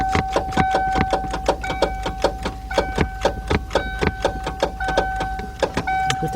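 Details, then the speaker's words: 1991 Mercury Cougar 3.8 no-start, clicking intermittently before failing: rapid even clicking about three times a second with no cranking, the starter solenoid chattering; battery, corrosion, loose terminal or starter still to be checked. "okay that what you hear right now that is the starter solenoid"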